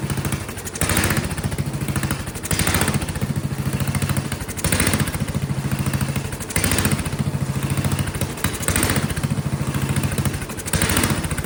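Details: Vintage Kohler generator, big flathead single-cylinder (guessed 400–500 cc), gravity-fed fuel, while adjusting carburetor screws: speed rises and falls about every two seconds, never steady; surging. Owner suspects poor fuel delivery or dirty carburetor.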